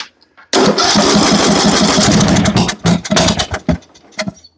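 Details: John Deere riding mower with Briggs & Stratton engine that would not start and barely turned over: cranks, catches roughly, stumbles into sputters and pops, then dies; hard, rough start, possibly out of gas; later fixed by valve adjustment.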